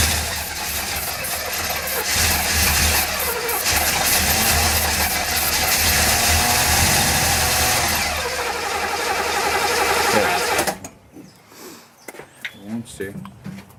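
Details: 1966 Chevevelle being rebuilt, starting attempt after oil filter change and priming cranks, fuel supply uncertain: steady starter cranking about four turns a second for ten seconds, never catching; cranks but won't fire, cause unconfirmed.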